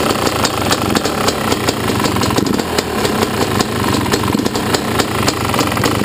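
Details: Yamaha YZ250 two-stroke at idle: sharp regular ticks about four per second over an uneven idle; owner heard it could be the power valve or a worn top end needing replacement; cause unconfirmed.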